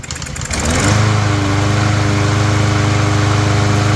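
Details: Small single-cylinder mower engine after cleaning a plastic carburetor found full of rusty water, running on ethanol-free fuel with cleaned spark plug, cover and air filter off: fires up, fairly steady even run with firm low drone; normal running.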